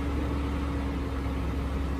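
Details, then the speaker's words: GMC Envoy bought from insurance auto auction, first start in the morning, check engine light now gone; steady even low rumble with faint constant hum, no knocks or misses; normal idle. "first crank in the morning as y'all can see everything lit up now cranks right up that check engine light is gone"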